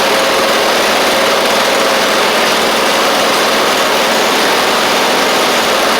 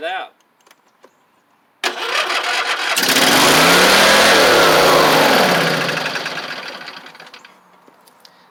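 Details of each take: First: one more little more throttle here sounds pretty decent that's pretty [Music] good pretty sure that's great Second: Husqvarna YTH24V48 V-twin with suspected internal carburetor issues: brief crank, fires, then revs climb high and sag unevenly without settling; governor broken again, owner suspects an internal engine cause.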